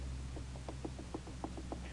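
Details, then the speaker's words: 1991 Dodge Dakota windshield wiper linkage under the removed cowling, arm rocked by hand: light uneven clicks and clunks about six a second; free play at the end of the linkage shaft, owner notes looseness at the bushing on the motor shaft. "has a play right at the end here so this that's why this thing keeps changing too so I got that that is loose this one's fine it's just that the mechanisms loose"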